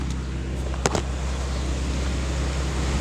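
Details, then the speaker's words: Land Rover with cooling fans not turning on, after wire repair with no module needed: steady low rushing hum of both fans at high speed with AC on, no rattles; normal cooling fans. "and there was the fans on high speed all right so that's a fix did not need a module and that's it the wire is repaired she's good to go"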